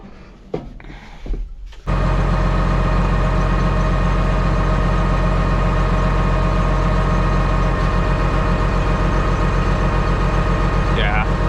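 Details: John Deere 724J loader common-rail diesel, called out for fuel leaks and a misfire, idling after codes cleared during a cylinder cutout test: steady knock with a dull hitch in the beat, consistent with one cylinder not firing.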